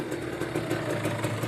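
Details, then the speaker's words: Kawasaki Ninja RR two-stroke after a new reed valve, choke off: a crisp, even idle with a steady rapid putter and no stumbles; normal and more responsive. "kalau dimatiin cocoknya Idul apa setelan langsamnya jadi normal kembali ya teman-teman jadi lebih responsif"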